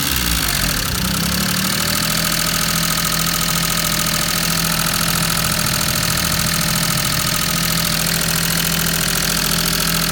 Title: #maruti_800_5_speed_mpfi_engine| Maruti_800DX 5-Speed #Alto #5_five_Speed | Misfire in patrol